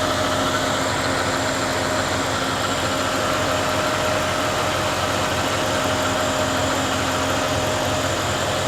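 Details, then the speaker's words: Chevy OBS crew cab LS V8 with a newly fitted Procharger-style accessory drive and upgraded charging system, first start after sitting for a while, idling steadily and evenly with no belt squeal; no leaks found. "So, let's turn it over. See what happens. Hasn't been started in a while. Sounds good. No squeals."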